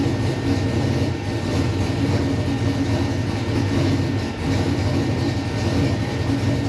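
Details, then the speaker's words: LS-swapped V8 "Bob" on first startup after conversion to methanol (catch can and second fuel pump just fitted): started right up, deep steady even idle with no misses or knocks while warming; normal idle. "kind of as i expected it started right up idle and perfect"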